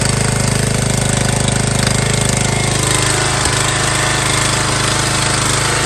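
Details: MTD Yard Bug riding mower left sitting for years at a boat storage yard, first start after a spark check and fresh gas: small single-cylinder thumps in a quick, very even beat with steady pitch, holding speed cleanly.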